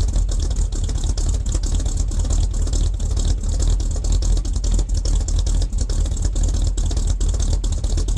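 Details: 1978 K25 with freshly rebuilt engine (new valve springs, seals, valves), first real cold start at about -8°: deep, steady idle with even low rumble, no knocks or misses; healthy while warming up.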